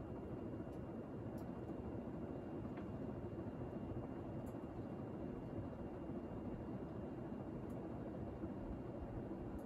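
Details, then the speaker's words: 52-inch antique brass AirCool GE Vent ceiling fan with bell canopy and five-light kit, all original, installed in garage, on high speed: steady air rush with quiet whine as it comes up to speed, shakes very slightly; normal running. "does have a quiet whine to it when it comes up to speed it shakes around slightly very little bit though"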